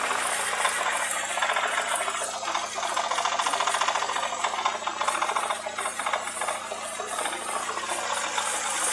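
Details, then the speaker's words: Opel Astra F, engine hot: light, fast, fairly regular metallic tapping about three or four per second over engine hum; owner suspects worn connecting rod bearing, will open oil pan to check; engine knock. "Вот слышно такой вот неприятный стук двигателя. Непонятно что. Буду открывать поддон и смотреть вкладыши."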